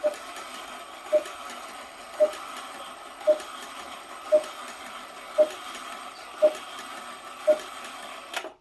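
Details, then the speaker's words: Antique cuckoo clock back in its case after mechanism repair, door and hands not yet fitted: single soft calls about once a second over clock ticking, "cook" not "cuckoo"; one bellows lifts only partly. "But as you can hear, it is only doing cook, so not cuckoo like it's supposed to do."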